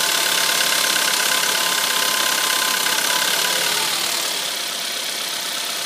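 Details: Audi A3 1.4 TFSI cold start idle: quick, regular metallic tapping over busy engine hum, engine knock on cold start.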